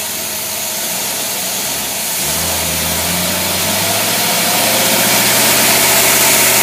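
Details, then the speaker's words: Carbureted engine with rebuilt Rochester Quadrajet on dynamometer, in gear with roughly 4,000-5,000 lb load added: steady note climbing smoothly as load builds, clean even firing, no misses or knocks; normal running under load. "Now when we put the big load on there, whatever, we got about I don't know, 4,000 or 5,000 pound load we're going to add to it. This is just like if you're trying to drive this carburetor down the road, pulling a big old"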